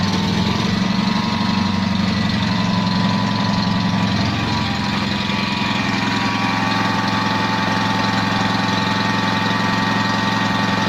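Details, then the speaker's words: Invacar three-wheeler, revived after 14 years in a field, on axle stands and ticking over: chuffing, uneven beat that sounds like one cylinder, caused by a small exhaust leak; the variable-pulley belt drive engages when the throttle opens. "it sounds like one cylinder but that's because once a little blowing on the exhaust"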